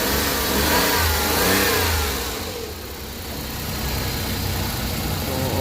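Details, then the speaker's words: Suzuki DA64 engine after general overhaul for internal knocking (suspected valve, conrod or main bearing): revs up and settles smoothly, crankshaft knock following the revs now gone. "So ayan na yung makina. Wala na yung ano parang sumasabay ong ano knocking na ano crank shop knocking."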